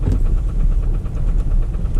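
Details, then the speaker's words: Lexus SUV that was run out of oil, oil light on: sharp, regular ticking knocks over a rough low idle. The owner suspects the oil pump failed from lack of oil, causing internal damage. "The oil light's on. Maybe the oil pump failed from lack of oil. Something's wrong, obviously."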